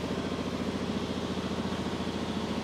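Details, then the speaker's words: 2003 Dodge RAM with code P2172, throttle body blocked off: lumpy, uneven idle with pulsing unsteady beat; slight leak at throttle body, major leak below, smoke test later confirms intake manifold. Intake manifold vacuum leak. "We're leaking a little bit there, but I'd have to say we've got a major leak down here somewhere."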